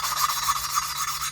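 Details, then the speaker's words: Ford Mustang SN95 3.8 V6 rebuild: hand lapping a valve into its seat with compound and a suction-cup tool, gritty back-and-forth rasping in quick strokes, coarse at first and turning smoother and lighter as the seat beds in. "A little bit of downward pressure as you're rotating it back and forth. And you can hear it. It was really coarse. And it's starting to get like smoother, a light sound."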